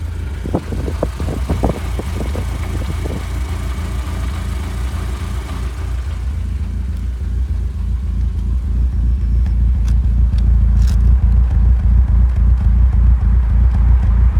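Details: Audi S3 idling; low rumble that lurches and wavers unevenly, never settling; rough idle, cause not yet clear.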